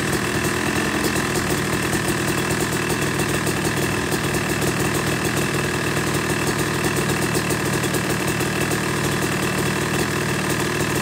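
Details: Yamaha YZ250 two-stroke motocross bike (270cc/250cc) after full engine rebuild (bottom end, transmission, bearings, clutch, power valve), second start-up after cooling, warming to about 100–125 degrees: crisp even idle, steady ringing exhaust, no misses or knocks; normal warm-up idle.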